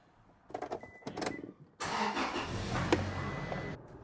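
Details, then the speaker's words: 2006 Toyota Tacoma 2.7, previously stalling and lean (P0171), after fix including new filter, second test drive: steady, even engine note with road noise, no stumble, surge or misfire; running smoothly, no fault codes afterward. "it's running great. All right, I'm on the second test drive and this thing is running perfect."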